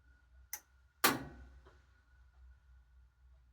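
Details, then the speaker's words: GE/Whirlpool/Kenmore top-load washer-dryer combo GUD27ESSMWW in drain and spin: sharp irregular clicks over a faint hum as the lid lock actuator tries but fails to engage the clasp; owner suspects a faulty lid lock. "hear it cooking clicking clicking so it's not a to engage the clasp that actually locks the lid"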